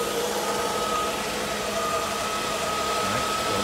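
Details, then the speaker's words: 1986 Mercedes-Benz 560SL warming up at idle during a pre-purchase inspection, no smoke at start, idle hunting slightly; faint light tick from the back of the engine, inspector suspects a lazy lifter, not confirmed. "I think I hear a lazy lifter right now. I hear it on the back end."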